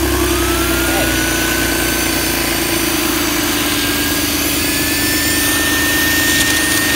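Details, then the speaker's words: BMW E46 330xi with codes P0491/P0492, hose removed for a paper test of the secondary air injection system: steady, even pump whine over cold-start idle, pump working; normal secondary air pump operation. "okay and now we know that our pump is working"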